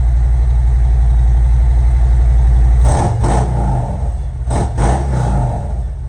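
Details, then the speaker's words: Harley-Davidson M8 Ultra Limited just after new R10 spark plugs and plug wires, warming up: deep, even V-twin idle with a couple of quick throttle blips, firing regular with no misses; normal idle. "now I'm just going to start it make sure it starts you know what I mean make sure I don't have no leak so far so good might not be able to hear me good sounds good"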